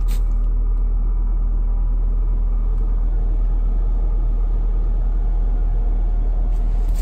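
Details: VW GTI, new with wrapping still on, cold start at -28 C (windchill -40 to -45 C): deep steady low rumble with slightly uneven beat settling into cold idle; normal cold start.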